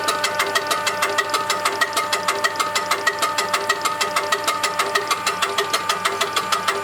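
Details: Diesel engine with a UTN-4 injection pump, tested after pump repair and adjustment. Steady idle with evenly spaced firing beats at about 1.5 per second, no misses or stray knocks; a normal idle.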